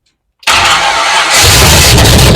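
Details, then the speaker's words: Classic Chevy truck, first start after rewiring, with starting fluid poured into the carburetor: silence, then the engine catches hard on the first try and settles into a loud, rough run. "We're just gonna put a healthy amount of fluid in the carburetor, and we're just gonna see what happens."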